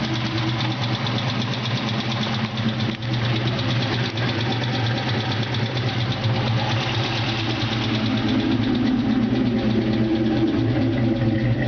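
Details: Ford Mustang GT 4.6L V8 idling steadily with a light, fast ticking running through the engine note.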